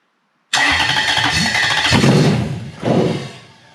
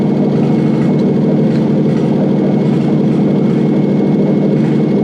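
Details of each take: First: Toyota 1UZ-FE non-VVTi V8 with a non-immobilizer ECU swapped in place of an immobilizer ECU: catches and runs rough with uneven surges, spitting pops and exhaust smoke, like timing out; igniter outputs wired the wrong way round. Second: Toyota 1UZ-FE non-VVTi V8 with an ECU swapped in: a smooth, even idle with a steady low burble and no misses or knocks; the engine runs normally.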